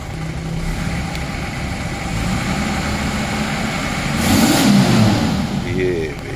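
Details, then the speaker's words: 1988 Toyota Land Cruiser 60 Series with the 2H diesel, smoking bluish on start-up with little blow-by felt: it revs and settles with a rough, uneven clatter. A cracked cylinder head was later found, and the engine needs a full overhaul. "इसके engine में definitely problem है। इसका engine हमें overhaul ही करना पड़ेगा।"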